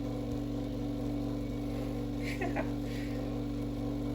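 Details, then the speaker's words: Lakewood HV-4 fan, shipping-damaged with cracked rear bearing housing, after repair with zip ties and rebalanced blades: steady low hum with rough buzzing and odd rattles; motor still sits loose and blades bent, runs noisily but no longer locks up. "all right so after many zip ties and trial and error it still sounds horrible but it runs and it doesn't lock up and that's that's good enough"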